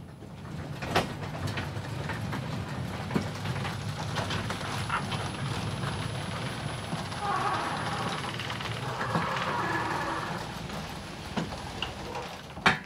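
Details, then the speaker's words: Genie Excelerator garage door opener after broken torsion spring replaced: steady low rumble with light clatter through full travel, no banging, jerking or straining; door closes smoothly, normal operation. "So let's go ahead and test the garage door. You can go ahead and hit the button. And that went up nice and smooth."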